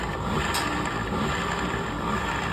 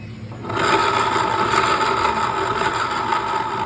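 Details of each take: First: Scooter CVT after replacing the torque drive bearings: steady, even hum with no whine, grind or rattle, so it is running normally. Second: Scooter rear wheel spun by hand: dry, scraping rotational whir with a steady tone near 1 kHz from a worn CVT torque drive bearing that needs replacing.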